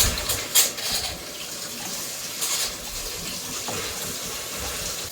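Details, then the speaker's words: Rinnai RE180 on-demand water heater after burner, fan, heat exchanger and inlet screen cleaning: hot tap run before firing gives hissy, spitting bursts settling to steady rush as trapped air purges from lines. "I'm going to let the water run through the heat exchanger, so I'm not firing this on a dry heat exchanger. You can hear the air coming out the faucet."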